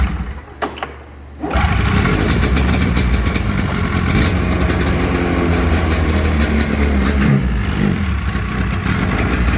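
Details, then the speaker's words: XC 700 two-stroke snowmobile, first start in about five years after a sniff of brake clean, no ignition switch fitted; catches after a short pull into a steady, slightly uneven idle, no knocking; runs fine, normal idle. "And remember, we got no ignition switch on, but the kill switch is still working. One full idle it."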